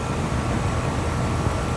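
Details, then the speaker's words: 2007 Rheem 1.5-ton air conditioner with reciprocating compressor, outdoor unit at startup: steady deep hum with an even low drone and no knocks or rattles, a normal clean reciprocating start and run. "that had a nice startup though that is purely how reciprocating should start"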